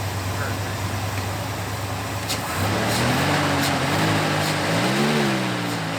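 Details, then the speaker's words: 1991 Ford Bronco, sat two years with bad old fuel, first start after new fuel pump (35 psi), starter jumped: engine runs smoothly, picks up cleanly on throttle blips and returns to idle without stumbling; normal revving. "Run like a champ."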